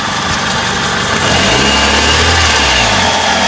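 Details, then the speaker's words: Hyundai Accent gasoline engine, 127,000 km, fresh oil change, timing belt likely due, now warmed up: idles evenly and picks up cleanly on a quick rev; the earlier diesel-like clatter has faded, cause unknown. "The car did just have an oil change, so it's not old oil. Nah, I don't like this sound. It's warmed up now."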